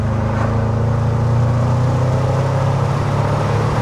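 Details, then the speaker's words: Range Rover Sport SVR, replacement 5.0 L engine fitted after a major failure, road test at full throttle building from about 50: deep, smooth V8 roar with no misfire, knock or rattle; pulls cleanly and healthy. "yeah that oh it don't hang about does it FES it's lovely"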